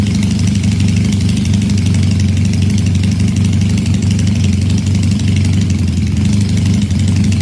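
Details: Supercharged Honda CL175 single at warm operating temperature, checked for a heat-related vacuum leak: warm, even single-cylinder idle with a steady beat and no hunting or surging; the earlier idle problem is absent.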